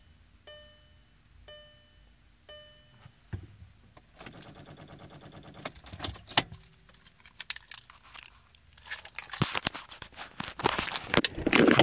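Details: 2014 Passat won't start, also when jump-started, with the clock running backwards: after warning chimes, a fast chatter of clicks lasts about two seconds with no cranking; cause was a failed battery, fixed by a new battery.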